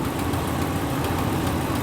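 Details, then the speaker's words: Volkswagen Vanagon, 136,519 miles, at idle: fast, light ticking puff on the exhaust note, almost lifter-like; suspected exhaust manifold leak, possibly snapped manifold bolts, not confirmed. "that sounds like an exhaust leak those are fun because it's probably at the manifold manifold bolts are notorious for snapping"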